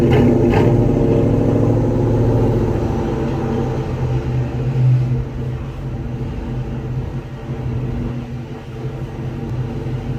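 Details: 2000 Ford Mustang GT after a new clutch cable install, recorded from the rear at the owner's homemade hack-job exhaust: deep loud V8 burble right after start, swelling on revs, settling to an even rumble; normal running, loud modified exhaust.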